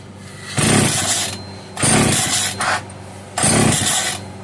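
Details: Italian-made Castor 330 Antivib (rebranded Alpina) chainsaw, bottle-fed: short revving bursts cutting back to a sputtering idle every second or so; runs only while fed fuel by hand, fuel starvation from its own supply.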